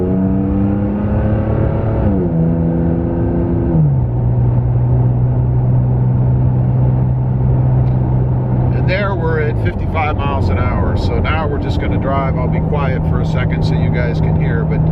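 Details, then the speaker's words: Toyota Tacoma with an MBRP aftermarket exhaust, recorded in the cabin cruising at 55 mph: a constant low droning hum at one deep pitch with road noise, exhaust drone at cruise. "so that's what it sounds like uh traveling at 55 M an hour uh you can definitely hear it in the cabin"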